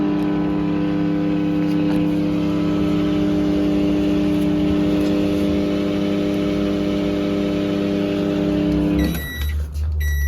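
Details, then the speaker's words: LG microwave with 700W magnetron 2M213-09B: turntable spins and display lit, hums loudly and steadily through the cycle then beeps, but no heating and burnt-plastic smell; failed magnetron blamed. "То есть у нас индикатор нуля горит, он присутствует, крутит, но перестала греть печка."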